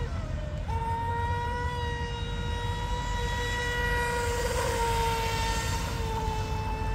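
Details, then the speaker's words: DIY RC Mini Mono boat on fresh 3S LiPo with detuned CNC aluminium 436 three-blade prop, full-throttle pass: steady high electric whine at level pitch over water splash, smooth and even; normal high-speed run, motor healthy. "nice it's definitely R fast and with the three blade but that's run"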